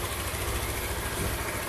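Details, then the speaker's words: Honda CG160 Cargo after repair of a tec-tec-tec engine noise: short, even single-cylinder idle with a low steady beat and no top-end tapping; normal idle, noise gone. "lenta tudo bonitinho"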